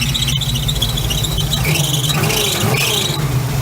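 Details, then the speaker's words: 1971 Chevy C10 long yard-sitter driving, engine quiet; owner says it needs new belts: a thin high squeal rises and fades over the running engine then drops away, belt squeak. "Quiet too. There goes that belt squeak. It's gone now."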